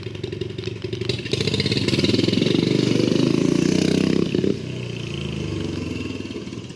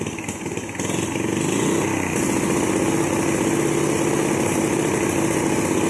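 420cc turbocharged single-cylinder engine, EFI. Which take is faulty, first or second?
first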